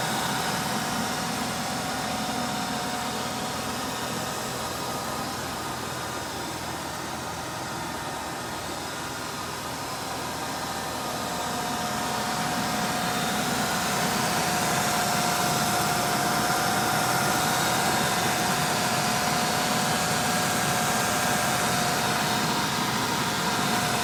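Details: 1995 Ford Thunderbird Super Coupe with a replacement supercharged 3.8 V6, swapped in after the old engine's bad rod bearing: idles smoothly and evenly with no bottom-end knock.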